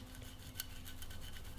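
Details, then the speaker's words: Campagnolo Super Record/Record crankset, Schaeffler ceramic-ball bearings (non-standard 6805, 25×37×6 mm), hand-turned: gritty rasping scrape from a failed crank bearing. "you can hear the the bearings failed there"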